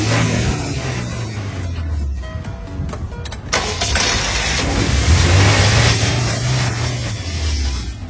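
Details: Car that suddenly died and would not start, after a part was reinstalled and its screws and plug reconnected: brief cranking, then it catches cleanly and settles into an even, steady run with no misfire; normal start.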